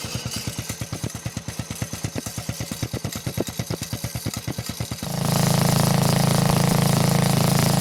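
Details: Old Montgomery Ward riding mower with a flathead engine, temporary tractor-style muffler fitted: even, steady thump at slow idle, then picks up to a smooth constant drone with no misses or knocks; healthy running.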